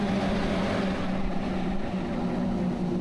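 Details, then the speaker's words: Newly installed Starvent 11-inch powered 6-speed roof vent in a vintage camper: steady, even air whoosh with a low motor hum and no rattle or ticking, exhausting after running intake at level 6; normal running. "Hey, this thing has a memory to it. It remembers the last setting and it goes right back to that. So that was blowing in at level 6."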